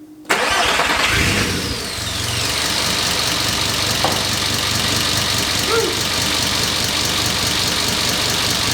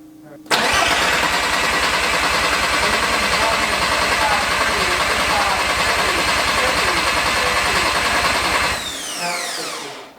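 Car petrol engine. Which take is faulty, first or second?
second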